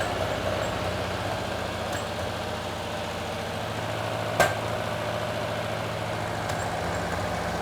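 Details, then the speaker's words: Porsche 912 air-cooled engine run after over 10 years of storage, once the cooling fan was repaired and adjusted and the top oil leak was fixed. Slightly warmed up: smooth, steady idle with an even beat, no knocks or misfires. Healthy, with some smoke underneath. "it's a runner uh sounds pretty good I got a little bit of warmth into it"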